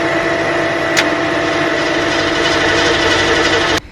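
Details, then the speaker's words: 1968 Ford Mustang Fastback after breaking down following heavy use, two full-throttle pumps before cranking: steady starter whir for about four seconds with no firing; cranks but won't start, checking air, fuel and spark. "So the car turns over but does not start. So we're gonna have to check air, fuel, and spark."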